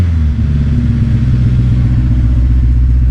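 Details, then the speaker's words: 2006 Honda S2000 AP2 (4-cylinder), wrecked rebuild, idling after repairs: low, lumpy idle with uneven chug and stumbling beat; still misfiring, slightly better; owner suspects an injector, not confirmed. "Little better, but still got that miss. You can hear it."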